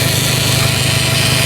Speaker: But this here is my fuel pump. Hear that? That's what I was referring to, that you should be able to hear. When you key that key on, you can hear this pump run.